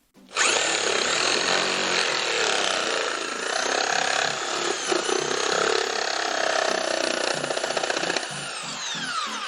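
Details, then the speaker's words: Bosch PST 53A jigsaw, owned several years, reassembled after repair of an intermittent cut-out fault: steady high buzzing motor with rapid blade chatter, running evenly without cutting out; jigsaw running normally, fault appears fixed. "that seems to be doing the trick just nice"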